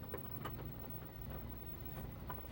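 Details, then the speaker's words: LG washing machine starting its spin, already rocking before full speed: a low drum rumble with a soft thud about once a second as the tub wobbles. Worn shock absorbers are suspected. "look at it wobbling what why yep i think those shock absorbers need to be replaced"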